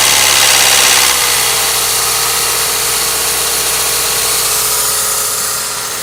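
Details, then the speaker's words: Toyota Ist 2NZ, about 192,089 km, heavy carbon cleaned, flushed, fresh oil filled to max: cold start with loud fast metallic rattle easing after a second as oil pressure builds; slack timing chain rattle. "сейчас услышите как во время закачки масло херачить цепи"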